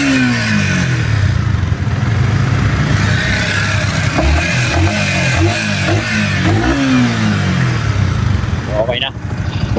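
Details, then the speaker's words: Yamaha R15 M V4 motorcycle after repair, running with covers still off: revs up and settles with clean, even exhaust note, no knocking or rattle; engine quiet and fine. "tahimik naman yung makina niya. Then all goods na lahat mga master."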